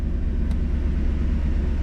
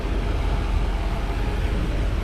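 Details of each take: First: 1991 Mercedes 500SL, 39,000 miles, warm at about 82 on the temperature gauge, in drive (should be about 550 rpm): steady deep rumble, idle hangs high before dropping back; owner blames heat and a sticking throttle linkage despite two new idle control valves. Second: 1991 Mercedes 500SL, 39,000 miles, warm idle at about 85 on the temperature gauge after a 45-minute drive, following lubrication for a recurring high idle despite two new idle control valves: low, steady rumble, one brief blip settling straight back; normal idle.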